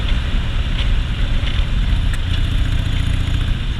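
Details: 2001 Harley-Davidson Softail V-twin after freeway riding: it idles very low, and under even slight or heavy load the deep exhaust stumbles unevenly with dropped beats (misfiring), with wind noise. The bike recently had new plugs, a fuel pump and a tune-up.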